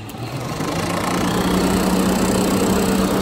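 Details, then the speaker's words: Peugeot 406 with XU10JP4 engine (complaints of oil leak and overheating), radiator cooling fan rewired through a relay, at high speed: steady whooshing rush with a firm low hum at even pitch; fan runs correctly, audibly different from low. "Ya, sudah high aja beda suaranya kan? Ini low, ini high, ini low. Yang tadi high, suaranya beda."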